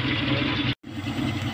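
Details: Kia Pride at idle before repair: stumbling, uneven low beat with dropped pulses and a brief cutout; misfire, later traced to a carbon-fouled spark plug.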